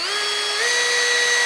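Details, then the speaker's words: Brushless tool used for resin work running at high rpm: clean, steady high-pitched whir rising briefly then holding even, no rattle or chatter; no noise at high speed, normal running. "This one doesn't have any noise at high RPM."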